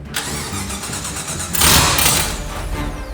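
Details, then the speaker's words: $500 Ford Ranger with swapped LSX V8: cranks, catches cleanly, blips once, then settles into an even lumpy idle with no misfire. "Oh, it's getting there. That's a beautiful thing."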